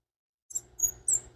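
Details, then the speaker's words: Yamaha IT175K wheel removed and spun by hand: high, thin chirps about three times a second; dry, worn unsealed wheel bearing squeaking, other side squeaks too. "It spun fine, but that one did not sound very good. It was chirping."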